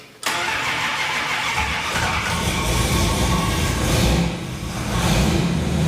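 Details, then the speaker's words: Plymouth Fury V8 startup after engine work, oil pressure 45 psi at idle and 65 psi with throttle, timing guessed without a timing light, no full tailpipes or resonators: starter catches instantly, settles to a deep, steady, loud idle with a brief blip; normal startup and idle. "It's sounding pretty beefy at the back, but I've got no, haven't got full tailpipes and resonators on it, so it's pretty loud at the moment."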